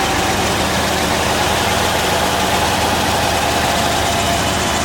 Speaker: all right now it's warmed up a little bit you can hear it just idles like normal